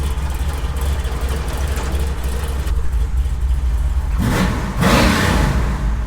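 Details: 1972 Chevy K20 on 38s with 6-inch lift, built 510 big-block in the truck about 11 years: deep choppy cammed idle then a sharp clean throttle blip; healthy built big-block V8.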